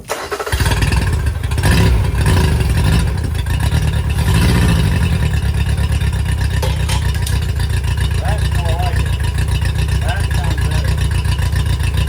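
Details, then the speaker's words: 2005 Yamaha T50TLRD 50 hp outboard, 38 hours, three pending codes: fires and climbs to a steady even low drone with no stumbling or misfires; runs much better. "that sounds good though right there"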